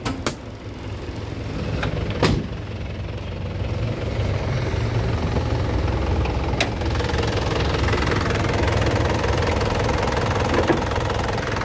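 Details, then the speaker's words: 2010 Isuzu Panther LM Smart Turbo diesel with manual transmission: steady, even diesel clatter at idle and a brief rev, a few handling clicks, no knocks or misses; engine sounds solid and healthy. "Nah untuk mesinnya seperti ini, suaranya kempel banget teman-teman. Kita coba ya, gas ya. Nah untuk suaranya masih enak banget, masih kempel."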